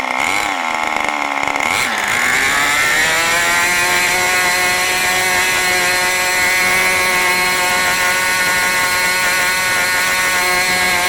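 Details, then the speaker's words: New OS 40 FSR model engine, second tank during break-in: a sharp buzzing note climbs within a couple of seconds, then holds high and steady at high rpm, higher than the owner wanted. Mixture not yet tuned. "okay so that was the second run second tank of fuel through this engine obviously you can see I let it get a little bit higher rpm this time actually a little bit higher than I wanted"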